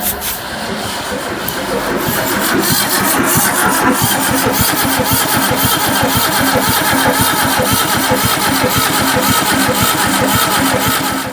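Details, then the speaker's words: Barn-find Zastava 850 with a new coil fitted and the battery charged overnight: steady cranking about two beats a second for over ten seconds, no firing; still no spark, distributor cap suspected. "so there is still no spark hm maybe the Dizzy cup"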